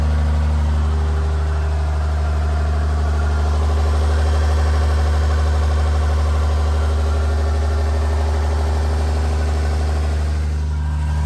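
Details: Freshly installed 1500hp Cummins diesel, run without coolant, cam break-in at about 1000–2000 rpm during hot re-torque: deep steady drone at raised idle, smooth and even, no knocks or misses. Normal high idle.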